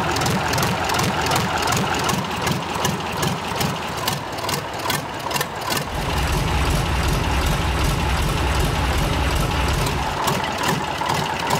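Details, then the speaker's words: Freshly overhauled air-cooled Tatra 148 diesel, first start after three years, cold: even, steady idle rumble, all cylinders firing smoothly, no knock or miss; white smoke until warm said normal. "Le moteur émet de la fumée blanche, ce qui est normal pour les moteurs Tatra ! Jusqu'à ce qu'il chauffe."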